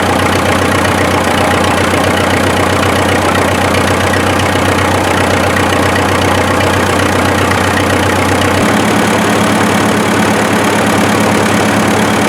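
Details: 1955 Farmall 400 diesel tractor, first daylight run after revival (water drained from rear end and oil pan, gear chunks found in pan, new line fitted): steady, even idle chug about four beats a second, settling slightly lower; runs smooth.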